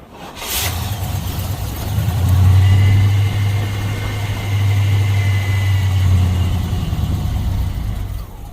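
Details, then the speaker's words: Box Chevy with 305 small-block, newly replaced starter after crunching and growling noise, not yet torqued: strong even cranking around three beats a second that catches briefly; starter spins the engine cleanly, owner suspects weak 650 CCA battery. "I'm going to see if it turn over and what it sound like y'all Y going to be the first ones to hear it I ain't worried about starting it right now I just want to hear it turn"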